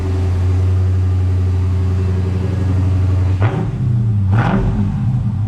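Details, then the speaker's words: Chrysler 300 392 SRT V8, cold start after performance shocks and replacement rear differential: deep even idle then two quick throttle blips rising and settling cleanly; no knocks or rattles, sounds healthy. "Oh, it sounds good. Yep."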